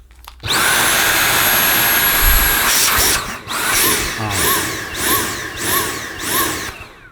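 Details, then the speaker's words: Dyson V8 Absolute cordless vacuum with suction deliberately blocked: high motor whine rising and falling in even pulses, the built-in warning for blockage in nozzle, tube or cleaner, or a dirty filter. "that pulsating noise is a little warning for you now it's pulsating because I blocked off the suction so it's reducing the airflow through the cleaner"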